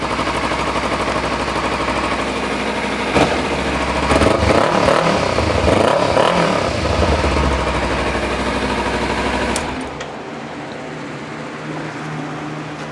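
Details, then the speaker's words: Motorcycle idling and revving after work made it quieter. A steady, fairly subdued exhaust note with no knocks or misfires, much less obnoxious than before; running fine. "My bike's a little bit quieter now. Before I forget, I'll turn this on so you guys can hear it. That's a lot quieter, a lot less obnoxious."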